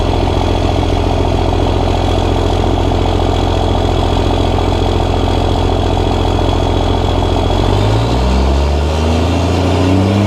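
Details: Cummins diesel truck, first start after upgrades incl. new injectors, hot-rod VP44 pump, Banks intake elbow: steady even idle with deep regular beat, then clean throttle blips rising and falling; sounds good, slight black smoke, some rough idle noted.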